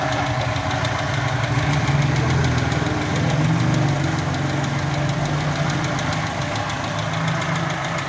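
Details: Toyota Kijang 5K engine at a rough idle with light, quick ticking about three or four times a second. The valve clearances are loose and need adjusting.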